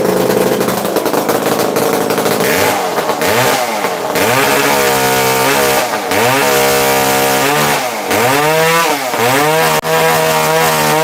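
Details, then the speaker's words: Used chainsaw with manual oiler only and missing muffler, restarted with decompression valve pushed in: crisp two-stroke buzz blipping up and down with throttle, settling cleanly each time, no misfire; normal running. "Yes, she does sound amazing. Let's listen to her fire right back up. Push your decomp in, turn her on."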